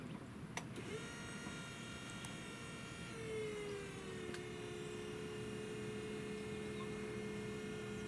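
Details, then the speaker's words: 2003 Toyota MR2 Spyder after a 2ZZ engine swap, key turned just before start: steady electric whine that dips once then holds. Owner suspects the electro-hydraulic power steering pump, now unneeded since the 2ZZ has a belt-driven power steering pump; unsure if harmful. "that's the Electra hydraulic pump there are two signals from that pump to ECU that go away when you do this swap"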